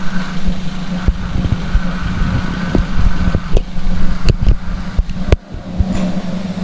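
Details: Toyota Avanza at idle with the AC on, after the noisy compressor was replaced with a new Denso unit: steady, smooth low hum with no rattle or growl; the compressor runs quietly and normally.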